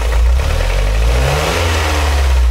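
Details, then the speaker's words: Used Hyundai NF Sonata, engine bay while revving: revs rise and fall with a light fast "chal-chal" ticking that quickens with revs, plus an occasional grinding catch; engine judged faulty, car sold for parts. "바로 이런 소리로 인해가지고 이미 찰찰찰찰찰 거리죠. 이 차량은 뭔가 문제가 있는 거예요."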